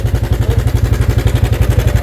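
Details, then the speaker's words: Sniper 155 motorcycle at 2,568 km idling: a loose, even clatter rides on the steady pulse, about eight beats a second, from the cam chain tensioner, before replacement. "ganito na yung tunog niya Ganda ' ba tunog tensioner yan kapag"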